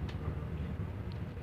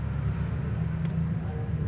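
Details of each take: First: Wall-mounted Welhome fan motor powered on but stalled on a seized shaft: steady low electrical hum with no blade whoosh, too stiff to turn by hand; fixed by cleaning and oiling the shaft and bushing. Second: Wall fan that was jammed and only humming, fixed by cleaning the shaft and bushing and oiling them, nothing replaced: on power, a low steady hum with an even drone and no rubbing, ticking or drag; the motor spins freely.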